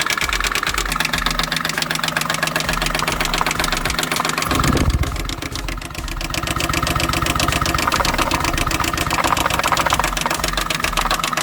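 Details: Honda Fit that won't start properly after driving through water: rough idle with a stumble and a steady knock about four per second; sounds like bearings, with cylinder 4 at zero compression, so the engine is to be removed.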